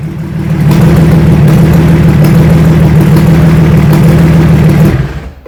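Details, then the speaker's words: BMW M57D30 diesel (184 hp, from E46 330d Touring) swapped into E36 compact, just started: loud rough clatter and deep drone for about four seconds, then shut off; noisy because the exhaust manifold port has no blanking plate, plus missing boost pipes and a loose inlet manifold. "Uh, it's quite noisy at the moment cuz there's no blanking plate on the exhaust manifold. Also, there's no boost pipes and the inlet manifold isn't fully bolted down."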